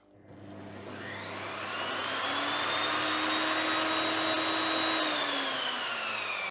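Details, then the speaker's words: Evolution Rage 5-S table saw motor after installing a soft start module: winds up gently over about two seconds to a steady whine, no jolt, then cuts off cleanly; smooth soft start. "and there you go guys it works absolutely fantastic none of that scary start it all eases in as it should do no scary sounds or noises beautiful works so much better"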